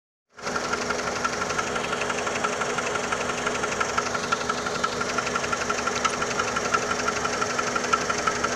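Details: 2002 PT Cruiser petrol engine at idle: steady, sharp light knock, about three a second, over the hum; owner asks what the knocking is, cause unknown.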